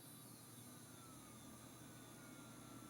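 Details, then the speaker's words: Vintage audio equipment motor, previously completely frozen, now running on a bench power supply after about 15 minutes of working it free: steady low whirr with a thin high whine; noisy, rough-running motor, later lubricated with isopropyl alcohol. "It's making a bit of noise and it's uh But yeah, I think I'm going to just let this sit here and spin a while. I I think it was just completely frozen up."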